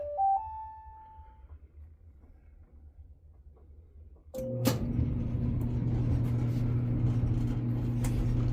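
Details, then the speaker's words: Maytag Bravos XL dryer after replacing the idler pulley at the back: a few chime tones, then the drum starts with a steady low hum, no squeal or chirp; loud squeaking fixed. "no squeaking. So yeah, I fixed it."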